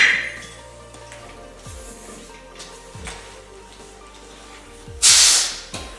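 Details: Tire being mounted at home with prybars, valve core left in: sharp short hiss as air is fed in; air leaks past the unseated bead, which is being shifted around to try to seal it. No bead sealer on hand.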